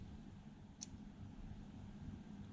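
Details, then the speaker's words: Floureon CCTV camera, reassembled after teardown for a stuck-on-night-mode/white-screen fault, with its light sensor covered: one crisp little click as the IR-cut filter snaps into place and the picture goes black and white; switching normally, fault apparently cleared by reassembly. "Hear the little switch, hear the click, and the lens switching into place, and the picture has gone to black and white."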